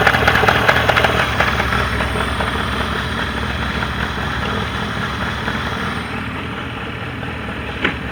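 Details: Mercury 40HP outboard on a Tracker Pro Crappie 175, earlier no-start was user error: steady, even low drone with a regular beat around 146 per minute, no misses or knocks; healthy.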